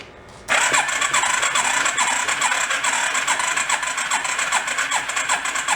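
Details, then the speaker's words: Homemade 4x4 rat rod ATV that had sat unused, cranking on a jumper pack: steady chuffing, never catches, popping back through the carburetor; owner suspects the intake is not sealing, compression improving as it turns. "sounded like a pop back through the intake didn't it the compression is getting a little bit better as it runs"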